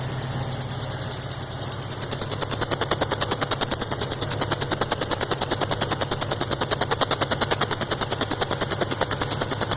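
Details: Subaru WRX at steady idle: a sharp, evenly spaced chirp about three times a second, located around the turbo inlet area; cause unknown.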